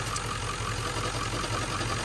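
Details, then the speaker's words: 1997 Ford F-350 7.3L Powerstroke diesel, 164,000 miles, warmed up: steady light knocking about five per second at idle over diesel clatter, traced by stethoscope to the pulleys and found to be a failed alternator bearing. "it might be one of these pulleys right here it sounds like it's coming from right in here"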